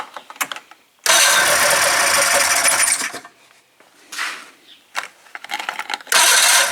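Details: 1996 Polaris Classic two-stroke snowmobile with airbox off after carburetor adjusting, newly fitted tether cutoff: catches and revs in loud rough bursts between quiet gaps, firing readily each time; starts and runs fine.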